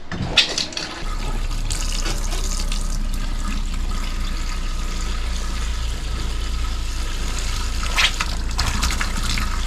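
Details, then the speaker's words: Caravan cold water plumbing leak test: steady low pump drone under constant gush from the tap, no sputtering or air; system working, no leaks found. "Yeah, they're on because the water was going. Well, that seems okay. And the best part is we've got water."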